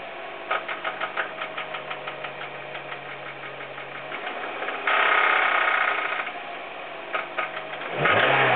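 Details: Hyundai Coupe engine: sharp, regular knocking about three per second over idle, persisting when revved; a distorted connecting rod was found to be the cause, rod knock.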